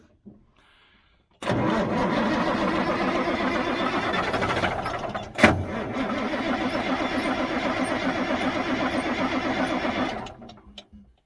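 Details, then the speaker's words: 1977 Mack R-model diesel truck cranks steadily about nine seconds after manually pushing fuel. It never catches. The owner says it's just not getting any fuel. Cranking, no start. "now it's not going to do it it's just not getting any fuel"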